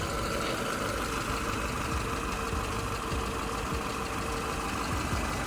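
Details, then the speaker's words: Peugeot 207 after a new clutch was fitted for slipping, with half a tank of petrol: it starts first time and idles smoothly with a steady mid-pitched hum and no ticking or knocking; engine sounds healthy. "let's give the car start starts up first time it's got a half a tank of Petrol in there the engine sounds"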